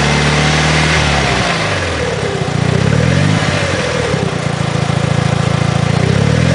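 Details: 2006 Mitsubishi Lancer Evolution IX, engine revving: light metallic rattle heard as revs drop off throttle, only with clutch engaged, gone with clutch pedal in, quieter when cold; owner suspects throw-out bearing.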